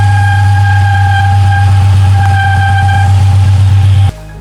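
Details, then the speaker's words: Infiniti G37 sedan (VQ37VHR): fast rattling chattering vibration from the A/C compressor area over a steady hum, easily replicated; worn A/C compressor pulley bearing, fixed with a remanufactured compressor and new pulley. "i started getting this weird vibration kind of like a chattering vibration sound coming from around uh the compressor area down here"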